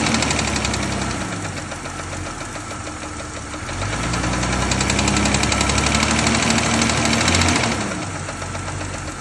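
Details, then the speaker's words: 2000 Jeep Cherokee XJ 4.0: fast steady metallic ticking about four per second at idle, quickening with revs, louder when driving; exhaust manifold and rocker arms checked without finding the cause. "And then it started clicking when I started the car and it was idling, and louder when I drove it. Then it got to the point where it was just too loud."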